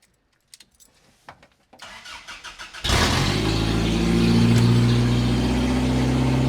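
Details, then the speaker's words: Toyota 22RE-swapped Ram 50 mini truck, first starts after swap, open headers: a few weak cranks then a loud, raspy, steady idle with a sharp bark; normal idle, just unmuffled. "God, that open header is real loud. Jeez."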